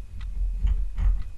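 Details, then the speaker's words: Motobécane Cady M3 super Isodyne moped engine bottom end, crank turned by hand during teardown: slow irregular gritty clicks and rasps; big left-side main bearing clearly dead, barely turns. "il tourne à peine donc les roulements au moins celui-là le grand on l'entend plus côté gauche là ça il est mort quoi heureusement il est clairement mort"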